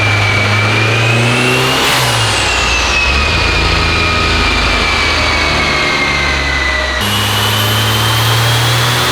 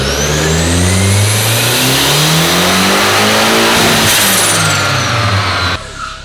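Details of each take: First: Rear-wheel-drive Honda Civic, fully built engine, new turbo, on dyno: heavy pull with rising turbo whistle but revs climb slowly and sound choked; mechanical cam timing suspected off, cams possibly needing swapping. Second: Rear-wheel-drive Honda Civic with a new full 3-inch exhaust and muffler on a dyno, run in fourth gear instead of fifth: smooth, strong full-throttle pull with no misfire, then a clean lift-off; about 400 hp and 434 lb-ft, with power falling off hard at the top.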